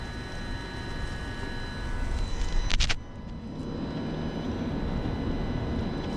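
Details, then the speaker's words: 2017 BMW 330i after oil filter housing replacement, during the coolant bleed (ignition on, heater at 84, fan on 1, gas pedal held 12 seconds): a faint steady whine from the electric water pump running normally, over low background rumble. "And when you do that, you come out here and you start hearing the water pump. I don't know if you guys can hear the little whining noise."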